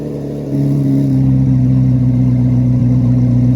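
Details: 2024 Chevrolet Corvette C8 Z06 V8 revved from idle into steady high revs, deep, smooth and even with no knocks or misses; normal revving.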